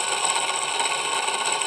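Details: Husqvarna 51 two-stroke chainsaw salvaged from dead, oil pump confirmed oiling: high, buzzy idle with a fine, steady rattle; owner thinks the bearing needs a little oil.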